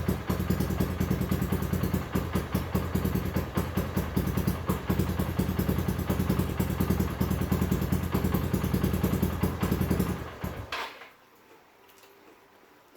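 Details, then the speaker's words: Honda New Megapro that would not electric-start, now fixed by replacing a weak 5 V battery with a healthy 12.9–13 V one: single-cylinder fires up into a quick, even putter around 150 beats a minute, then shuts off cleanly. "jadi itu tadi permasalahannya yaitu pada bagian aki yang lemah"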